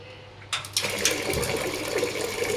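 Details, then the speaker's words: Gas geyser after repair that had been making loud bang/explosion sounds with flames shooting up; gasket opened and cleaned: a couple of ignition clicks, then smooth steady flame and water rush with no bangs; working properly. "बिल्कुल बहुत बढ़िया proper से काम कर रहा है दोस्तों। फिर हम आपको दिखाएंगे दोस्तों। ये देखो बिल्कुल सही चल रहा है गीजर।"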